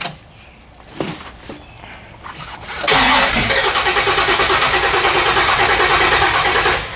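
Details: 1979 AMC AMX, AMC 304 V8, after header wrap: brief crank, catches around three seconds, settles into even steady idle with no ticking, 70 psi oil pressure; header leak gone, healthy start and idle, no choke fitted.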